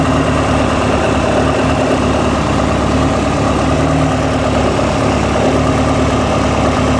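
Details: Fully built Honda B20 VTEC, 85 mm bore, B16 head, stage 3 Brian Crower cam, Eagle rods, ACL race bearings about 2500 miles: steady idle with faint low rhythmic knock; owner suspects early rod knock, uncertain.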